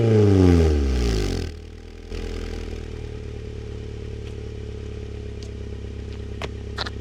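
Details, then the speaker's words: Rebuilt Honda Prelude with aftermarket Apexi exhaust: a couple of sharp free-revs rise and fall cleanly, then it settles to a steady even idle; healthy engine. "one of my proudest moments but cuz it's a Honda it sounds pretty good though"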